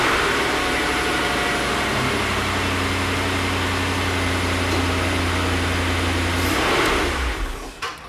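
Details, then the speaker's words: 2004 Jaguar XK8 after installing a pre-lubrication system and raising oil pressure before cranking: engine catches and settles into even idle with no timing chain tensioner rattle at start-up; quiet cold start. "and that for me was a very quiet start compared with what I'm used to"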